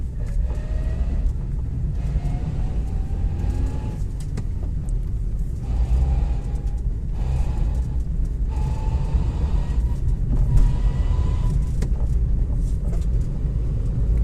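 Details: Hyundai Grand i10 petrol, manual gearbox, on the road: a whine rises with road speed in each gear, worst in second and third, and drops after each shift; humming from worn gearbox gears and bearings.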